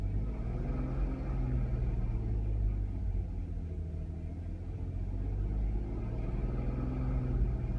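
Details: 2005 Audi A3 8P 3.2 V6 idling with uneven stumbling beat as cylinders drop out: engine misfire, fixed by VAG car coding.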